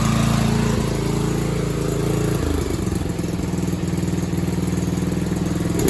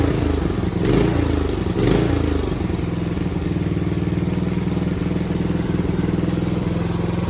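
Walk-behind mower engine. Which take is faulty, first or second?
first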